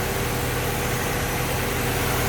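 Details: Project car at first start after a coolant leak repair, refilled and not leaking, heat-cycling to burp the radiator: even, unbroken idle with a bit of hiss over it and no misses or knocks; normal.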